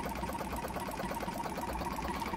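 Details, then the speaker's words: Jumper-box air compressor with seized, still-tight motor and bad internal battery: fast, slightly uneven chugging pulse with strained buzz, like a car misfiring; owner suspects tight motor, hoping running frees it up. "trying to get the thing freed up and always gonna run if i leave it on the side it almost sounds like a car misfiring it definitely sounds like that motor is a bit tight"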